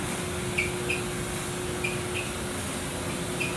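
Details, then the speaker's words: Second-hand replacement clothes dryer running: steady whir with irregular high squeaks and squeals about once a second; the owner thinks it needs grease or oil, cause not confirmed. "it also doesn't really sound like it's working all that great in fact it sounds like it it could really use some uh some grease or some oil"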